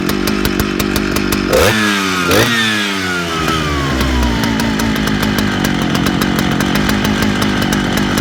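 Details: Big Jonsereds chainsaw blips up and down twice, then drones high with wavering hit-and-miss note; owner suspects fuel line or seals (carb kit) needed; surging, uneven running.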